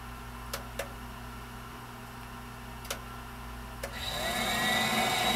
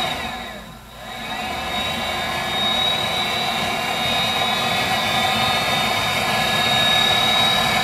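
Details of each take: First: Viessmann Vitodens 200-W WB2B35 condensing boiler, built about 2011 and about 5 years in service, which intermittently stops heating with no fault codes: a few soft clicks, then a smooth rising rush settling into a steady roar as the burner ignites and fires normally. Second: Viessmann Vitodens 200-W WB2B35 condensing boiler, about 5 years in service, in its intermittent hung failure state with no fault code: steady whir of blower and circulator pump with a faint high whine, but no burner roar; the boiler won't recover. Cause unknown.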